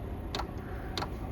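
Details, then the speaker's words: Diesel air heater at lowest setting, pump at 1.6 Hz (max 5 Hz), heard about two feet from heater: sharp, even clicks a bit under two per second over a low steady hum; fuel dosing pump clicking normally. "I can smell a slight hint of exhaust and now you hear the pump clicking"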